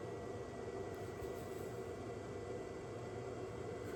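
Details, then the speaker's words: Ford 6.7 L Power Stroke diesel, key on before first start after 3–4 months apart for rockers, fuel lines, turbo: steady soft hiss with faint whine, fuel pumping through, no dripping heard; normal fuel pump priming. "Sounds like it's pumping through. Don't hear anything dripping."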